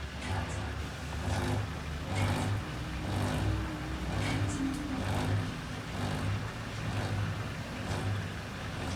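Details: Indesit Innex BWE 91484 washer on Rapid 30 min, draining after the wash: low pump hum with a rough grinding surge about once a second; it began after a face mask was removed from the drain pump filter and impeller.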